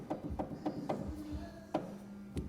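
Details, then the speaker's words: Boost Assault snowmobile rear suspension/driveline bearing, already cleaned and repacked, turned by hand: uneven dry clicks about every quarter second, then sporadic knocks. The bearing is worn with excess play in its housing. "So we don't have the best tolerance in here."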